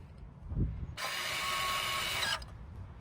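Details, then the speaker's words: 2022-2025 Nissan Pathfinder rear electronic parking brake caliper, motor powered by a 12 V drill battery during pad replacement: a steady whirring hum of about 1.5 seconds as the motor retracts the piston normally. "Once you hear that humming noise, that is the motor retracting the piston."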